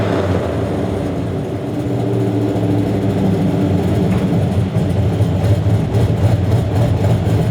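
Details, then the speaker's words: 2004 Chevy Silverado 1500 V8 with long-tube headers and stage 4 cam, $90 eBay exhaust cutout: deep rumble under revving with loose, uneven rattle and puffing; failed cutout valve now leaking exhaust. "sounds like garbage it sounds like an exhaust leak it is an exhaust leak it doesn't just sound like it I straight-up have an exhaust leak now because this valve has failed"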